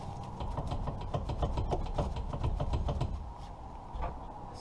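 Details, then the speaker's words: 2008 Ford Escape Hybrid on jack stands, wheel on: quick dull knocks about four a second as the wheel is rocked, from a worn inner tie rod; inner and outer tie rod ends replaced. "right up there in the inner tie rod so after the wheels off I'm going to hear better"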